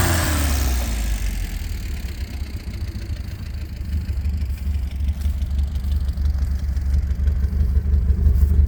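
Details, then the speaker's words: 1967 Alfa Romeo Giulia Sprint GT Veloce 1600 on 98 unleaded, freshly completed project, not yet properly tuned or timed: deep, slow, steady idle with faint lope, no misses, no smoke, slightly tappety cams; idle speed a little low. "no smoke. It's idling a little low, but overall we're pretty happy with it."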